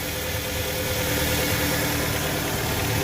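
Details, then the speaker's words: Engine idling evenly with a steady, smooth hum after reinstalling the accessory belt; the earlier loud noise, traced to a worn A/C compressor, is gone. "ven ya no hay ese ruido que por cierto era del motor de la compresor de aire de aire acondicionado"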